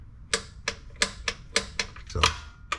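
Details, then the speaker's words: Torque wrench set to 18 lb-ft tightening transmission pan bolts on a 2005 Chevrolet Silverado 1500HD: sharp dry clicks about three a second, then a louder snap as the handle breaks loose at set torque; normal wrench operation. "What you'll do is you'll hear a click, and the handle will kind of break loose. And that's your torque. Right there."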